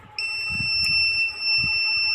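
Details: Luminous Eco Watt 850VA inverter gives a steady, unbroken high-pitched beep and does not sense mains. The fault was traced to failed 2003 driver ICs.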